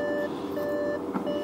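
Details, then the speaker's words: Salvage accident-damaged Audi RS7, delivered completely dead, battery just reconnected: short bursts of layered repeating electronic chimes as the dash warns of multiple faults after power restored; later cranks but won't start. "hear everything going haywire still turn off ignition"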